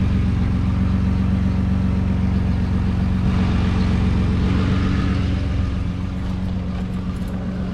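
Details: 2009 Nissan Murano after a rusty, cracked exhaust was stick-welded, where the flange bolts had rusted away; even, steady idle rumble with no puffing, ticking or blatting. Now much quieter, though not fully fixed.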